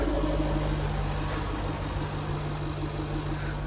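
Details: 2018 Jaguar F-Type R (X152), auction rebuild project, likely has a pops-and-bangs tune, owner wonders about a pulley change: deep, steady idle with an even beat, no knocks, ticks or misses; sounds healthy.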